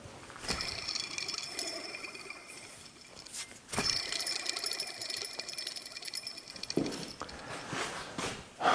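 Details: Jeep Liberty diesel fan pulley taken from another diesel and spun by hand: a dry gritty rasp with a faint metallic ring as it coasts down, indicating a worn bearing. The bearing is no longer available, so the plan was to send the pulley for rebuild.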